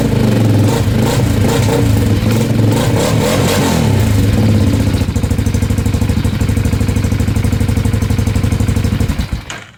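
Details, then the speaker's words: Bombardier DS650 sport quad on a jumper pack after a new starter motor and one-way starter clutch: brief crank, clean catch, then an even single-cylinder idle thump. It starts much smoother than before. "Awesome. That starts up so much smoother than than it did before."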